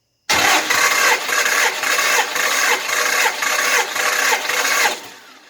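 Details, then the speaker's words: 318 engine that sat for months, possibly with oil run into the cylinders, cranked on the starter for a compression test on cylinder one: even, regular compression pulses about twice a second with no firing; normal cranking. "okay so honestly this thing sounds like it wants to fire him go right now"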